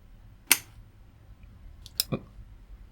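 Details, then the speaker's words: Crown XLi 800 amplifier (fault: powers on but no output), under repair: at power-on one crisp click, then two fainter ticks as the protection relay pulls in normally and the power light comes on. "and the for light comes on I hear the click I have the for light on"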